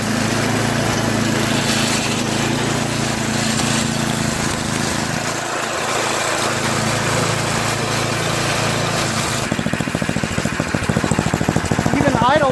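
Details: Tecumseh two-stage snowblower single-cylinder engine after cleaning the clogged float-bowl fuel jet nut and trimming and rerouting a cracked primer line; fairly steady buzz without the earlier rise-and-fall surge. Now running properly.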